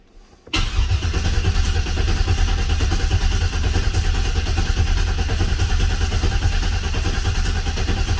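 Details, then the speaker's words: Oldsmobile 442 V8 rebuilt with new cam, pushrods, oil pump, valve springs, heads, full of assembly lube, injectors and fuel pump unplugged: steady even starter cranking with no firing to build oil pressure, reaching 60 psi on the factory gauge. "ged in you had a no fuel pump yet so we're going to crank this until we see oil pressure on the factory gauge"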